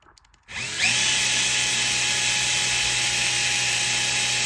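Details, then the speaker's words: Bosch GSR 12V-15 drill with a newly installed motor, case off: quick spin-up to a smooth, steady high whine with no stutter, grinding or smoke; the new motor runs healthy. "it runs fine. No smoke."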